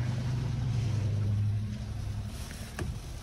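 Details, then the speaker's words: 2020 Hyundai Elantra 2.0 Nu engine, code P0017, towed in no-start; exhaust cam phaser slipped during cranking. After reassembly it runs slightly unevenly with faint light tapping, check engine light on; failing cam phaser. "Check engine lights on. I mean, it's not perfectly smooth. You can still hear a little bit of tapping noise."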